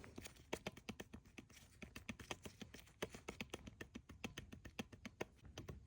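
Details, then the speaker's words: Old supercharger belt tensioner pulley bearing from a Mercedes CLS 55 AMG, fitted on the replacement body and spun by hand, gives a rapid, uneven rattle of light ticks, about seven a second, showing play. Worn tensioner pulley bearing, replaced. "And here I put the old bearing on the replacement body. And you can really hear how sound how it plays."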